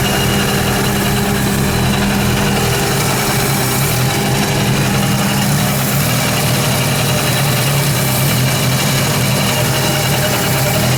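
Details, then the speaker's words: Mazda RX7 FC3S Turbo II rotary, first idle after sitting almost 10 years, after a fuel system rework: steady idle with a thin constant whine, owner suspects a bad bearing in the smog/vacuum pump or the alternator; accessory whine at idle. "Kind of sounds a little iffy. It sounds like either that might have a bad bearing or the alternator may have a bad bearing."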